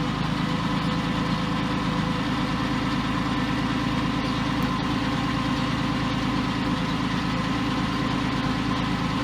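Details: Porsche 911 996 C4S M96 flat-six at idle months after a ticking episode, no intervention done; smooth, even idle with steady low drone and no valvetrain tapping. Owner believes earlier tick was a sticky lifter. Normal idle.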